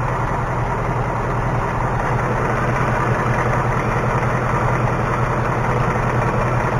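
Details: 2018 Mustang GT V8 idling, recorded underneath with a stethoscope; quick light ticking over steady rumble, nothing at the oil pan, worse on the passenger side near the wheel area; source unknown.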